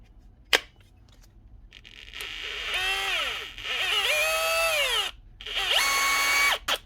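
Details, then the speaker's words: SDS hammer drill that was jammed, not spinning and not hammering; the piston was found dry of grease. Motor tested on its own: a high, clean whine spins up in short bursts with no grinding, so the motor itself runs fine. "That sounds alright actually. So why is it not hammering, and why was it not spinning?"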